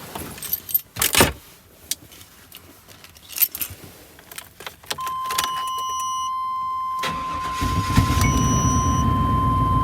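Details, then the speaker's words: 2000 Chevrolet Tahoe Z71 5.7 V8 after distributor and cap replacement for hard starting: short crank and it fires at once into a steady idle; starts easily, though a slight miss and shake are felt afterward. "Wow, starts up. Shut down. Start up again. Does seem to start up easy."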